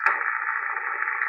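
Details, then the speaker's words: FT-101EX receiver, five-band vertical, high-noise area: steady even hiss without crackle, noise limiter switched in bringing background down to about S3, limiter not yet fully adjusted. "sorry about the waving and everything people and drop that in and we're at least down to a three but i i can do i can make it better"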